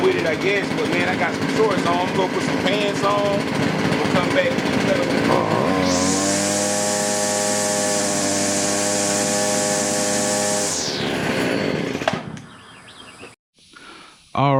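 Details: Stihl FS70R trimmer after repair of bogging from a fuel mix that was way off, air filter on: small two-stroke buzzes at a steady, clean pitch without surging or bogging; normal idle.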